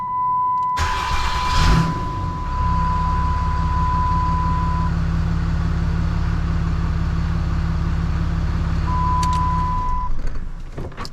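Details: Rebuilt 6.7 Cummins diesel during break-in: cranks and catches, then settles into a smooth, even low rumble over a chime tone. Normal healthy idle.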